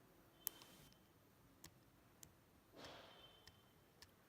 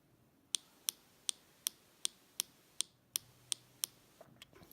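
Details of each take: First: MacBook Pro keyboard with H keycap removed, pressing the bare switch and rubber dome: only soft faint ticks, no plastic crackle; key press sounds normal. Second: MacBook Pro Touch Bar keyboard: ten sharp, crisp key clicks, harsher than normal; owner suspects thermal expansion misaligning keycaps, sound changes when pressed below the key top.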